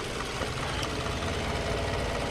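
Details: Toyota Camry after a no-crank repair with a new battery, charging system reading 13.67 V; steady, even idle with a smooth low hum, no knocks or misses; running healthy.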